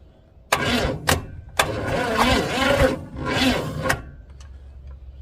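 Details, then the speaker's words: 400 small-block Chevy in rat rod, sat outside 13 years: several short slow cranking bursts, starter labouring on battery via jumper cables, no start; no spark seen at number one plug, distributor points suspected. "let's go ahead and crank her again and see we get any Spark that's a no yeah she's still not cranking over very well"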